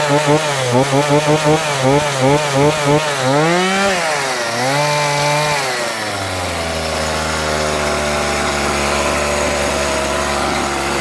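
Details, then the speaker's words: Homelite 42cc two-stroke chainsaw, about 10 years old, previously shutting down after 5 minutes and running hot, after a comprehensive carburetor clean: crisp throttle blips rising and falling smoothly, then a steady even idle with no bogging. "good rev's good that's all it needed was a carburetor clean a comprehensive one even idle"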